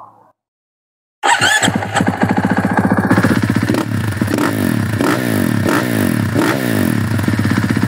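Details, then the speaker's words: 2023 KTM SMR450 supermoto, 450cc single-cylinder four-stroke with KTM exhaust and expansion chamber, about 100 hours, engine rebuilt less than an hour of running ago: crisp start, then steady even thumping at about four beats a second with light blips, no rattle or knock. Healthy. "Jadi guys, itulah bunyi engine yang baru rebuild. Tak sampai 1 jam tau guys."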